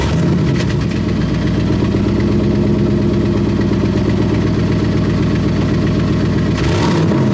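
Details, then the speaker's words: 1998 GMC K3500 crew cab dually with the 454 (7.4L) Vortec V8, at idle: loud, hollow, airy exhaust note through a rotted muffler and tailpipe; exhaust leak, before a custom H-pipe and 3-inch dual exhaust were fitted. "so yeah it's just really airy sounding rotted up muffler"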